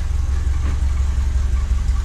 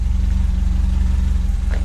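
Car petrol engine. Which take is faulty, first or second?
first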